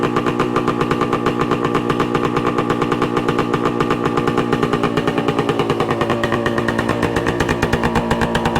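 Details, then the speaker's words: 1966 Suzuki Bearcat 120cc two-stroke, revived after sitting dormant: crisp, even ring-ding idle settling once warm; runs well, run to get heat in so a suspected leak can be located. "That's pretty good. Get some heat in so we can see if it's leaking and where it's leaking from."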